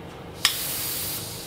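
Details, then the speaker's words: Vintage Coleman 502 stove, fuel tank pumped up to test whether it holds pressure: sudden sharp steady hiss then easing off, showing the tank holds pressure as it should. "let's uh let's pump it up to see if it's going to hold pressure really just maybe you know that should be enough and it is i could hear it right there but you can listen now"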